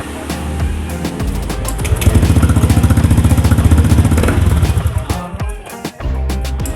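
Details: Honda Beat FI scooter with hesitation and heavy pull, after TP sensor and ISC adjustment: steady, evenly spaced putt at raised idle around 1500 rpm, with no stumbling; engine now runs smooth.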